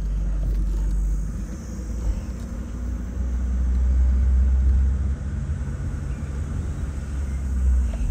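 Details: 1986 Opel Ascona convertible imported from Germany, driving slowly with the top open, three-speed gearbox: low, even rumble with no knocks or surges, only road and wind noise behind it; the engine runs smoothly.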